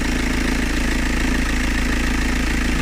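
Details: VW Golf V 2.0 TDI 140 hp diesel idling with a steady, slightly rough chatter from the belt drive after belt and tensioner were replaced; worn alternator one-way clutch pulley.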